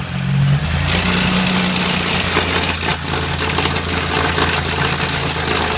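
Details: BMW E30 with S52 six-cylinder engine at idle: harsh busy rattly clatter over low rumble; horrible engine noise, cause unknown.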